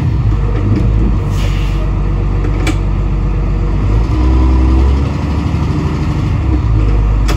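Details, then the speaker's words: 1988 International/Thomas school bus diesel, sat in a junkyard for years, governor freed up, 120 psi air built: deep steady rumble under load with wheelspin in mud, no knocks; runs great, fires right up, driveline good through first gear. "so the good news is you know we got the governor freed up and she built air pressure she runs great fires right up"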